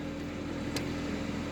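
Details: 2006 Toyota Corolla 1.8L after crank-no-start solved with programmed spare key (security light off); short steady low hum with even beat, no knocks or misses; normal idle.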